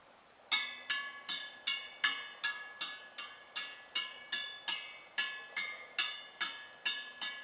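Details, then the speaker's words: Honda 50 step-through 36-spoke wheel, owner-rebuilt and just trued, tapping the 18 spokes per side: sixteen crisp pings about two a second at nearly the same note; spoke tension even. "they all seem to be playing pretty much the same note to me anyway although i lack musical talent i'd say they're all playing pretty much the same note"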